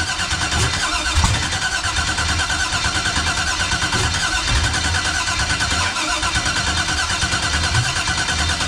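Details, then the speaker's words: 1989 Chevy box, no-start after new starter, external fuel pressure regulator, fuel filter, return line and swapped cam sensor wires: nearly nine seconds continuous cranking, never catches; owner suspects sensor signal/voltage. "All right, once again, man, she act like she want to do it, then she just don't."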